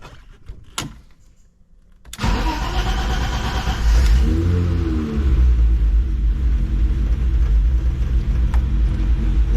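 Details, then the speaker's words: BMW E30 with a long delay between cranking and starting, which the owner is addressing by replacing the fuel filter. It also runs rough at full throttle. The starter spins for a couple of seconds before the engine catches to a rough idle: hard starting. "the issue that i'm having and you may also be having is the you know delay between when you first crank the car and when it actually starts"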